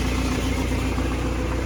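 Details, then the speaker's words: BMW E91 2011 diesel with 6HP21 automatic, cold start at idle: a metallic ringing rattle rides on the steady diesel idle from the bellhousing. The clutch slips and gears flare above 2,000 rpm, and the gearbox is being replaced. "Такие звуки она издаёт, как заводишь, звенит"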